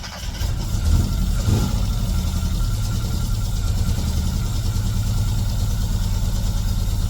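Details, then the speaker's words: Classic Mini, first start in 12 years despite low compression: engine catches, revs briefly, then settles into a low, steady, even idle with no knocks or misses; normal idle. "Yes. That sounds so [ __ ] good. Oh, mate. Good for you, son."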